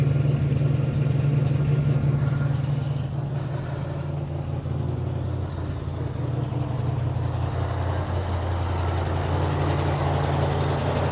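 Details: 1957 Dodge Texan, dormant since July 2023, first start: low, lumpy rough idle with uneven pulse and slight stumble over steady drone; carburetor squirting from one jet, likely huge vacuum leak as carburetor body is loose on its base.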